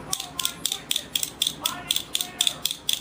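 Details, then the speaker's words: Crisp, sharp clicks about two a second, bright and snappy with no mush, from the original arcade stick buttons before swapping to silent ones; stock buttons working normally. "Nice clicking sound, right?"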